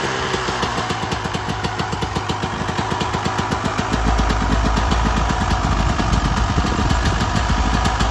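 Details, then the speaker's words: 1996 Yamaha YZ250 two-stroke after carb tune-up for rough low-end idle (pilot jet suspected), restarted after coolant top-up, still a little cold at about 13 degrees: even idle around 220 pops a minute, rising fuller when revved; healthy. "Already sounds good. Still a little cold. It is about like 13 degrees out right now, so it's a little chilly right now."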